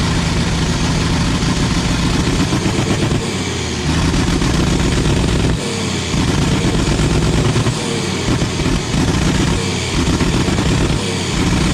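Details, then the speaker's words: 1994 Isuzu cab-over diesel truck sat 3 years, after starting fluid and fuel additive; steady, even diesel chug at idle; running smoothly. "this thing actually sounds good now it's got a mess in it but i also dumped a bunch of fuel additive in that i think that's what helped it don't sound bad at all"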